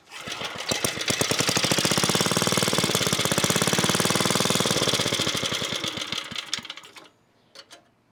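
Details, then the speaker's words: 1980s Onan (C80) generator: harsh rapid uneven firing about four a second, ragged, then dies out; owner suspects fuel starvation, spark good and it keeps running on starting fluid, a diaphragm pulled off and examined. "So our spark is good, and we should be able to have it run. It's just we're not getting enough fuel."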